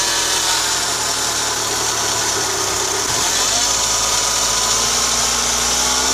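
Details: Audi A6 C6 2.0 TDI BRF diesel at idle: high steady bearing whine and rush from belt drive; after alternator bearings, alternator pulley, belt and tensioner were replaced, cause found to be worn deflection/guide pulley 03G145276A; worn belt idler pulley bearing.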